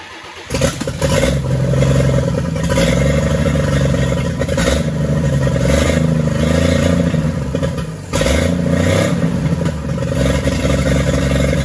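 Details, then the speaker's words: 1942 Chevrolet G506 truck fired during its revival, on 12-volt cranking with the distributor just adjusted. It holds a fast choke idle and revs up and back down cleanly with no knocking; it sounds healthy. It won't idle without the choke, the idle can't be brought down, and the water pump is weeping. "r of course that was with it you know kind of on a high idle with the choke but uh it doesn't sound all that bad and you bring up the rpms bring them back down she sounds good and healthy no knocking no anything"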